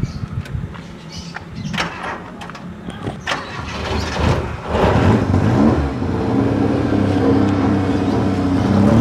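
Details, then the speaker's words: Suzuki Jimny Katana with contact-breaker ignition points; small petrol engine idles unevenly, stuttering and hesitating because the points are worn, to be replaced with new points. "Ini suaranya kayak tersendat, bro. Bro, ini akan ganti platina. Platinanya udah aus."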